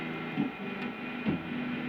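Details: Chinese-made Hofner violin hollow body electric guitar through an amp, one small LED lamp switched on nearby: constant low buzzing hum with no rhythm; LED lamp interference.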